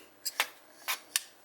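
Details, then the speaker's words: Compression lock folding knife after reworking the lock: four crisp, bright metallic clicks as the blade snaps open and shut, no rattle, solid lockup with no blade play. "there's no lock Rock whatsoever but I don't think I actually needed to redo the liner let me explain"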